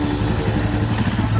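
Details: Rusi motorcycle that died when the lights were switched on, after the regulator was replaced: steady, even low idle with no misses or stumbles, holding idle cleanly and sounding healthy.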